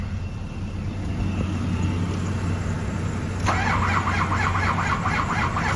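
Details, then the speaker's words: 2005 Ford F-250 6.0L diesel no-start service call in cold winter, glow plugs cycled, being boosted: slow, labored cranking pulses under a low drone, never catching; battery voltage too low, cranking without starting. "still too low [ __ ] batter is too [ __ ] low and I like seeing this voltage here not so much on the input side but our glow plugs are still going"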